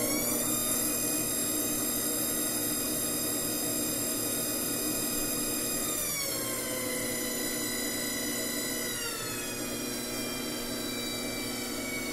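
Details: Wheel motor after squeak repair: smooth, steady whine rising in pitch with speed, no squeak; repaired and sounding healthy.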